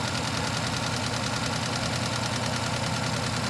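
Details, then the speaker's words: Idle with an uneven stumble, about three beats a second, instead of a smooth hum; engine running with one ignition coil missing, so that cylinder is dead and misfiring. Recorded during scope-based misfire diagnosis. "you hear the way that car was running um probably a reason because it didn't have a coil"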